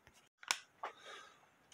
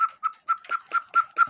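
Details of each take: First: 1908 GK cuckoo-quail clock with count wheel movement, after regluing the bellows sides: about twenty crisp evenly pitched pipe notes roughly two per second; bellows now speak cleanly, normal call. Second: 1908 railroad cuckoo quail clock with count wheel movement: eight quick thin high chirps, not like a true quail; quail bellows suspected faulty, perhaps snagged on the high-note lift bellows by an overly heavy washer weight.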